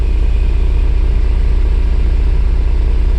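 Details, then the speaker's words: 1994 Mercedes SL600 that barely started, with ASR, SRS and check-engine lights lit and low rpm: deep, uneven, lumpy exhaust note, feels like running on 6 cylinders and smells very rich; cause unknown. "Yeah, sounds pretty damn bad. Smells very, very rich, so not cool."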